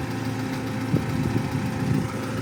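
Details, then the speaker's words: Audi 80 B4 2.0-litre at warm idle: light, irregular clicks ride over the low engine hum; owner suspects noisy hydraulic lifters, unconfirmed. The engine doesn't smoke or misfire and uses no oil. "Вот сейчас конкретно вот слышно стуки гидриков, потому что они такие"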